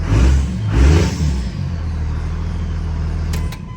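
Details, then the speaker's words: Second-gen diesel after new VP44 injection pump install and bled lines runs with a deep, even rumble, a couple of light blips, then smooth without knocks or misses; healthy after the pump replacement. "Well, sounds like she's gonna purr like a kitten now."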